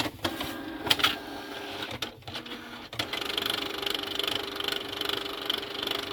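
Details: Canon TR4540 printer showing Error 2110: a few clicks and clatters, then a fast, rhythmic, rasping grinding whir from the paper feed.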